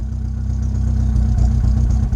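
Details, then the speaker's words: Rover 25 GTI, 1.8L VVC petrol, warming up after fuel filter replacement: low idle rumble with uneven beat and occasional dips, slight hesitation; misfire persists, owner suspects spark plug gaps not checked with feeler gauge. "There it is. Almost like it slightly hesitating."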